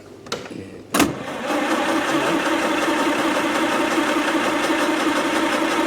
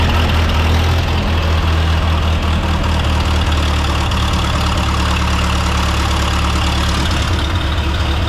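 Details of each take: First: 1929 Austin Heavy 12, engine after magneto, dynostart and carb checks, extra fuel added to the float: sharp pops then uneven labouring, coughing but not catching; fuel later seen pouring from the back of the carb. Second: 1929 Austin Heavy 12, 95-year-old engine running after adjustments, recorded without external microphones: low even putter, steady exhaust pulses, no misses or knocks, good oil pressure; vacuum fuel pump believed drawing from the tank.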